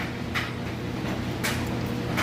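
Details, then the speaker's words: Whirlpool-built electric dryer, about 3 years old, heavy wet load on time dry: low steady drum rumble with soft tumbling thumps, no squeal or scraping; runs smoothly. "As you can see, it's a nice, smooth operation. Sounds great."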